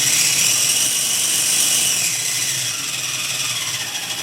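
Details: RC4WD Trailfinder 2 RC crawler with newly installed brushed motor and speed controller, on a stand: high, steady motor whir tapering slightly as throttle eases, smooth with no grinding or catching; a healthy brushed motor.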